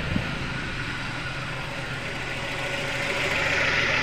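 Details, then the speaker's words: 1997 Suzuki Baleno after the misfire repair and a check-engine reset. Even, settled idle hum with no stumbling or misfire pulses and steady revs; running calm and healthy. "dari sini sudah tenang tiba-tiba seperti tadi ya"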